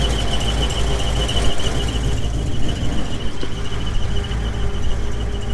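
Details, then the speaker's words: GMC 2500 with a Vortec V8 at warm idle: a steady high-pitched squeak from the bellhousing/torque converter area, heard with a listening stick. Not the belts, only when warm, follows engine speed and goes away when revved; persists with transmission unbolted from bellhousing; cause unconfirmed. "if you get underneath that that noise is coming right over to the torque converter again"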